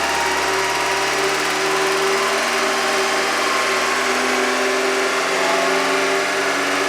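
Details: Engine with hydraulic lifters or lash adjusters, after Rislone engine treatment was added while running: a smooth, steady hum at idle with no tapping or ticking over it; the lifter tapping is gone and the engine idles normally.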